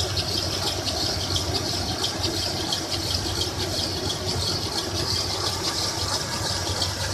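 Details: 1996 Toyota 4Runner at idle, noise began a week ago: light high-pitched squeal with an uneven rattle on top; owner suspects timing chain or water pump area, unconfirmed.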